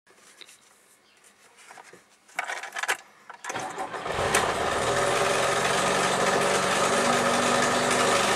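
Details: Four-cylinder engine after the timing chain and valves were adjusted per the service manual (compression now more even): it cranks, catches, then idles with a quick, even ticking clatter about four times a second; cause unclear.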